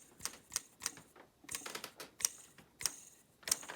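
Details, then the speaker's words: Dirt Devil hand vac motor, fan removed, bearing turned slowly by hand gives crisp uneven clicks and ticks; bearing sounds rough, suspected as the only fault, and a replacement bearing is being considered. "oh yeah that actually doesn't sound really good hang on a sec i'll be back so the bearing i got the fan off the bearing doesn't sound the best"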